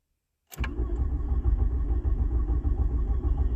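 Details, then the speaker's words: 1986 VW Jetta turbo diesel with almost no compression, a dry injection pump and a half-dead battery, earlier tow-started: steady starter cranking at about 200 beats a minute with no firing. Glow plugs get no power. Crank, no start. "is not a chance in hell this thing's gonna start get it on yeah no glow plugs well that's probably why it won't start"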